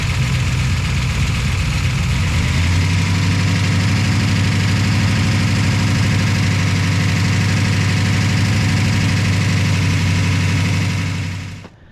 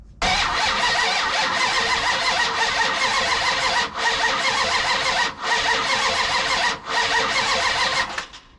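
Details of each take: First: V8 car after its distributor pickup wires were connected to the correct ignition box: it catches and settles into a normal, steady, even idle with a deep rumble and no misses; owner hopes the lifters quiet down. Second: Vehicle with ignition box: starter cranks steadily for several seconds with pauses but never fires; no spark, ignition fault, pickup wires later jumped to produce spark.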